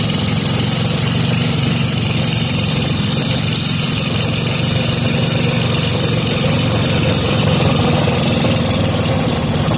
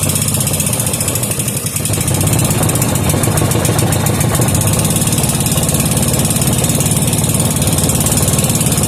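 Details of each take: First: Briggs & Stratton 5 hp engine with gear reduction, restored, after air-fuel screw adjustment, started without choke: steady, even idle with a smooth low putter and no misses or knocks; normal idle. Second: 5 hp Briggs and Stratton with gear reduction, being serviced: uneven, hunting small single-cylinder putt at about three to four beats a second; runs lean and stalls unless half choked.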